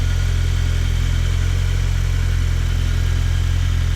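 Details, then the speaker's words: Audi A4 after full engine rebuild, first start in days with the full exhaust, warming up: steady, even low idle with a smooth regular pulse and no knocks or misses; engine running healthy. "so far so good feels really smooth right now"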